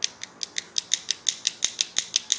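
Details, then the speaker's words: Series box mod being built: sharp, crisp clicks about five times a second as the box is shaken. The battery door is not tight and rattles; epoxy is used to fix it. "you hear that kind of clicking around their door is not super tight"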